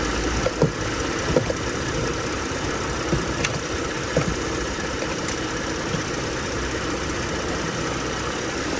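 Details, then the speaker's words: Lincoln MKS (2007-2010 Ford Edge platform) with hard, shaking brake pedal and rough idle; engine idling with steady airy hiss and dull thumps when brake pressed, vacuum leak suspected from hose or brake booster; a vacuum hose found not fully seated. "see when you press the brake you car some the engine is making some vacuum leak from the engine got to have some vacuum leak could be the hose"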